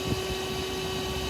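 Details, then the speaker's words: Truck trailer lift axle airline broken by highway debris: steady, even hiss over low vehicle hum; air brake line leak. "you guys hear it that ain't good it sounded like something leaking"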